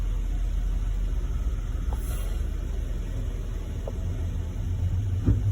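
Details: 2014 Jeep Wrangler 3.6 with intermittent engine shut-off, crankshaft position sensor and cylinder 1/multiple misfire codes (cleared): low, steady, even idle with no stumbles, stalls or misses; sounds healthy at the moment.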